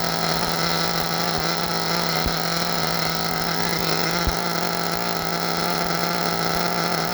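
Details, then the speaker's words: Force Pro 21 nitro engine on a tuning box during Todd Method break-in, idle raised for starting, temperature about 189: steady high buzzing at fast idle, slightly uneven and burbly, good smoke; deliberately rich break-in setting. "We got good smoke. I like seeing that. We're good and rich."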